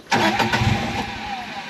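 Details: 2016 John Deere Gator 825i after replacing the fuel pump and regulator: quick crank, fires straight away and blips up cleanly with no stumble; the miss, blamed on the old regulator over-fuelling, is gone.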